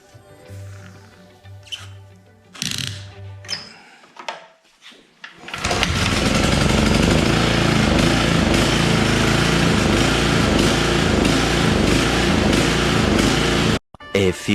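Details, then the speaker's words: Toro Turfmaster HDX 30 mower with Kawasaki engine, previously surging before blade engagement, after carburetor cleaning: catches after a few tries and holds a steady, even beat without surging or sputtering; runs normally. "moments later that sounds pretty good well seemed like it worked it sounded a lot better definitely wasn't sputtering as much as it was after cleaning that carb out"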